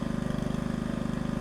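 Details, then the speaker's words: Log splitter small single-cylinder engine after reconnecting the throttle cable: steady fast even firing, no stumbles; running smoothly. "we at least got a motor that's making some noise so that noise you here in the background"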